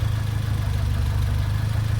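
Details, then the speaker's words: Turbo Fiat Cinquecento project car on a cold day, idling unassisted with no throttle before warm-up: steady, even low drone with no knocks, misses or hunting; slightly rich but clean, with little smoke. "let's go right be honest that's actually running pretty clean it's not smoking too much at all so the fueling can't be that bad off so that's a definite win"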